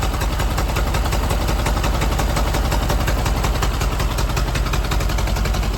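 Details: Ford Model AA doodlebug revival, no alternator fitted: low, lumpy idle with uneven thumps about three a second, firing not quite steady; sounds like a weak cylinder or two; cause unconfirmed.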